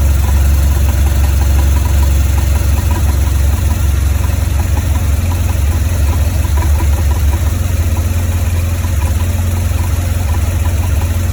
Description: 2004 BMW R1200GS rough idle coming from right cylinder head with 36'000 km.